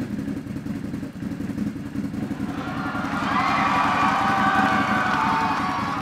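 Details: Can-Am Renegade 1000 after replacing the starter solenoid/relay to cure a no-start, no-power fault that kept blowing the ignition fuse: engine fires right up, settles into a steady run and revs cleanly; normal start and rev.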